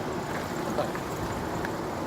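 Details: 2003 Lexus ES 300 making a U-turn: faint clicks over low road and engine noise from a defective passenger-side CV shaft.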